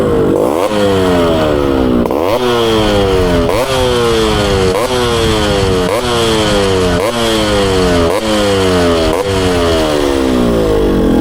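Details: Yamaha RX two-stroke motorcycle with a new expansion chamber, VR150 26 mm carburettor, gearbox matching, and rebore: crisp repeated revs climbing sharply about once a second, clean ring-ding exhaust, no misfire; healthy two-stroke.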